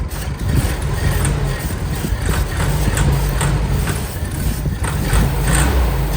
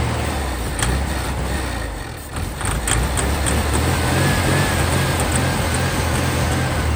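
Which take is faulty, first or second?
second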